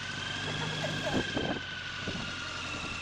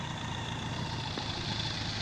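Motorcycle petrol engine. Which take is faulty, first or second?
first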